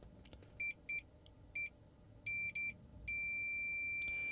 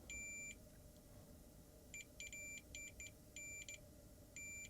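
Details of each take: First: Samsung 55-inch TV LED backlight contacts probed with multimeter: short high beeps in quick succession, then one long steady tone showing continuity between plus/minus contacts and feeds above. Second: Samsung 55-inch TV contacts probed with multimeter: short high beeps cut in and out irregularly, continuity only intermittent; suspects damp storage degraded connections, plans to bridge them all.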